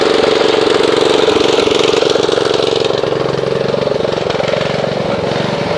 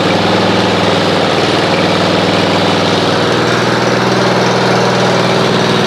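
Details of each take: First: Snapper RER Comet riding mower that sat about a year, before a Mechanic in a Bottle fuel treatment (plug good, air filter checked, choke off): a steady mid-pitched engine with a slightly uneven, wavering beat; rough running from old stale fuel. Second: Snapper RER Comet riding mower, after Mechanic in a Bottle was run through the fuel for about 2–2.5 hours: a steady, even idle with a constant low hum and no surging; smoothed out without carburetor cleaning.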